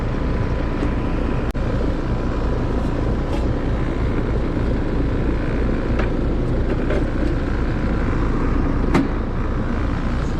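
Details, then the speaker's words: Heat pump outdoor unit, fan disconnected, defrost cycling okay, head pressure seemed normal; compressor draws about 10.3 A (11.5 A total). Constant heavy rumbling drone with a rough coarse texture. Compressor sounds rough and is the loud noise, judged about to fail and needing replacement. "Going in and out of defrost okay, but I think the loud noise she's hearing is the compressor."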